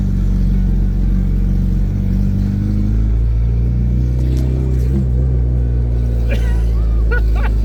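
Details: Honda DC5 (Integra) cold start: very loud, blatty rasp into revs, deep booming roar with crackle from a snapped exhaust pipe leaking ahead of the silencer; owner considering welding it or replacing the mid-pipe.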